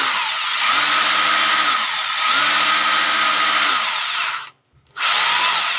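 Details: Rotary hammer drill after bearing repair spins up cleanly in roughly two-second bursts with a smooth high whine, no grinding or rattle; normal running.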